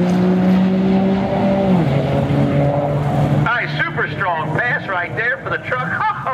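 Diesel catches and settles into a steady, even idle with a low drone; pitch drops as revs fall, no knocks or misses.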